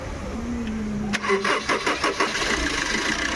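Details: Tata Manza common-rail diesel, after fixing crank-no-start from joined fuel pump sensor wires and bleeding air: brief cranking, then it catches on its own and settles into an even clatter; normal start.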